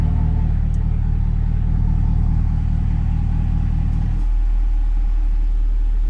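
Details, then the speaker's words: 2024 Cadillac CT5-V Blackwing, about 3,300 miles, with Corsa catback exhaust, idling as the exhaust valves close: deep, even V8 burble turns noticeably quieter partway through; smooth, healthy normal idle; the owner is chasing an intermittent check engine light. "Valves are closed. Sound change."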